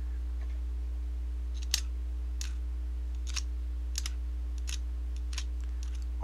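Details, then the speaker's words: Airsoft gearbox after reshimming to stop rubbing on the spur gear: light even clicks of teeth meshing over a quiet hum, no scraping; gears mesh cleanly. "I hear now is teeth moving on each other I don't hear that scraping so I think we're good to go"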